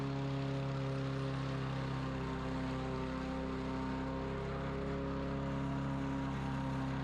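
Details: Free dump-picked self-propelled overhead-valve walk-behind mower, previously not running after sitting outside, running after carburetor cleaning and reinstall, fresh oil and gas, old filter, governor full throttle: smooth steady drone, even pitch, no hunting; normal running.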